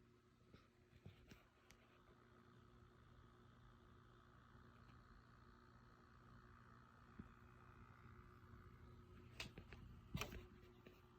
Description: I've noticed my PS5 was making a barely audible buzzing noise that sounds fairly similar to the likes of coil whine. You can’t really hear it unless you are very close to the console or you have a keen sense of hearing to pick up this low pitched buzzing.